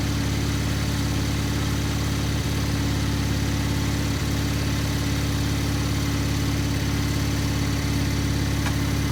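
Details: Gravely 50-inch mower deck after repair, running on the lawn with the lifter arm left off: a steady, even engine drone and smooth low hum with no knocks or rattles. Running normally; the deck grease still needs watching.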